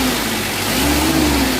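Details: Mitsubishi L300 diesel at factory settings, light throttle: revs up smoothly with an even, rising drone and no knock or miss, only thin dust-like smoke; normal revving.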